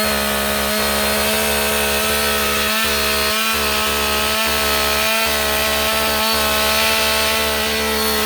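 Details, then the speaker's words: Husqvarna 562XP AutoTune chainsaw restarted warm, choke off, at high idle, with the air filter severely restricted by duct tape to test AutoTune compensation: strained high idle keeps dipping and stumbling, breathing poorly. "We're going to fire up this 562XP with our SpongeBob duct taped air filter on there."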